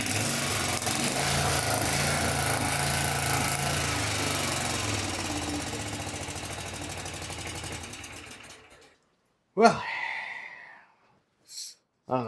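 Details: Kawasaki FS651S twin on a high-hour mower, after valve lash set, everything torqued to spec, plug refitted: loud uneven ragged chugging near three beats a second, then dies away, smoking heavily; owner suspects a damaged piston ring, unconfirmed.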